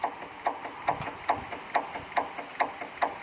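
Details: Craftsman 18 hp opposed-twin riding mower, six-speed, 44 in cut, new battery: key gives sharp even clicks about twice a second, no cranking; failing starter solenoid, battery power confirmed at solenoid.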